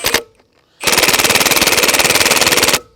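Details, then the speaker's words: Milwaukee M18 FUEL Gen 3 1/2" high-torque impact wrench on speed one in setting mode, putting trailer lug nuts back on: rapid hammering about twenty blows a second for two seconds, then auto-stops; switching to speed three. "that's speed number one right there in the setting mode it keeps stopping right there so we're just going to have to go on speed number three"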